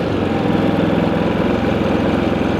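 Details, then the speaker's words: New Predator 3500 inverter generator with zero hours, just pull-started, idling with no load (124 V, 0 A) in economy mode; a quiet, even low hum with a steady pulse and no surges or rattles. "let's put the economy on this thing is quiet very quiet"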